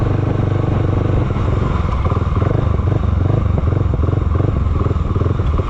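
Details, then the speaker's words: Honda GB500 single, cold start with choke on: big single thumps unevenly at idle, beats stretching and bunching as revs sag toward stalling; won't hold idle; cause not yet known. "it's like it wants to stay started but it doesn't want to stay started its mind is very not made up on what it wants to do on idle right like it starts for a second turns off"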